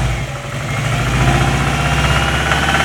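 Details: Subaru Impreza WRX engine: uneven knocking rides over a busy mid-pitch engine note, most noticeable between 2000 and 2500 rpm. Engine knock, cause not identified.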